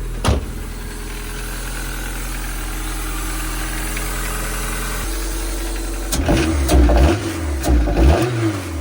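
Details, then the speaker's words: Right-hand-drive JDM import, first start after swapping in a replacement engine: rough idle with a steady knock, rising and falling on blips, smoking heavily and smelling of oil; engine knock, cause unknown, replacement engine judged no good. "So, it looks like this engine that we swapped in is also no good. It's smoking like crazy. It smells like oil. And I'm getting a little bit of a knock noise."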